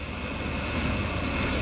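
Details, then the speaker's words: 1998 Chevy Blazer 4.3 V6, rebuilt with new timing chain and motor mounts, idling: steady rumble with a rapid low puffing tick from an exhaust leak toward the rear. "now you can hear the exhaust leak over here it's back here"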